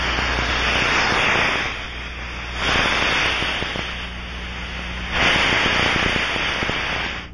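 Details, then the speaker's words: Aircraft cabin pressurized by engines or APU, Ultraprobe 2000 ultrasound with rubber probe, sensitivity reduced: loud rushing hiss swelling and fading as probe sweeps, peaking at one spot; pressure leak site located. "scan the area following the characteristic rushing sound use the rubber probe reduce the sensitivity and listen"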